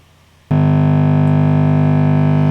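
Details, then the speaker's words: Fender Deluxe Reverb reissue guitar amp head, about 20 minutes after switch-on: a loud, steady low buzzy hum cuts in suddenly and holds constant; tapping a valve cures it, suggesting a problem with that valve. "look what happens when i tap this so that cured it immediately could it be as simple as a problem with this valve"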